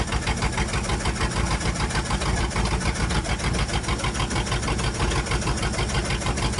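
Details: 1962 Dodge 100 first start in 25 years, seemingly low compression: old engine idling with a quick light ticking over the low rumble about three per second from one side; suspected rocker arm or pushrod, later found a stuck lifter; no rod knock.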